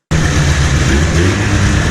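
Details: 1997 Ski-Doo Formula 500cc two-stroke snowmobile, running in a garage after sitting 5+ years, with carbs cleaned and new intake flanges: a steady, deep, even drone with no misses or rattles; normal running.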